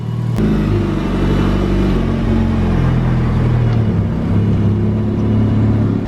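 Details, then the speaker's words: Mitsubishi Evo, roughly 600 bhp, with basic map, after fitting intercooler piping and blow-off valve, driven under load: deep even rumble pulling well, lots of blow-off valve flutter, boosting fine, no knocks or grinding. "She's pulling good. She sounds amazing. She flutters a lot. Sounds absolutely amazing, not gonna lie. It's boosting fine."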